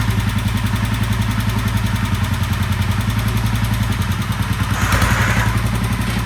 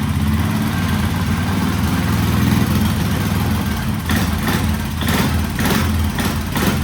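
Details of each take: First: 1967 Sears Super 12 garden tractor with a swapped-in engine from stash, first start and drive after reassembly: uneven, lumpy putter about three to four beats a second with a ragged edge; engine runs rough but tractor moves, cause not yet known. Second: 1967 Sears Super 12 lawn tractor with a swapped-in engine and new muffler, running on gasoline: strong, even roar held at high revs, low mellow exhaust, no misses or rattles. Normal high rev.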